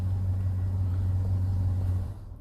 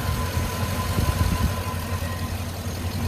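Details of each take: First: 2005 Chevy TrailBlazer, running while pink ignition-feed circuit voltage drops to 2.9 V: steady low rumble, then dies abruptly about two seconds in; stall from lost power feed to components on that circuit. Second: 2005 Chevy TrailBlazer during a no-start diagnosis: low steady idle with an even beat, no misses or knocks; running normally.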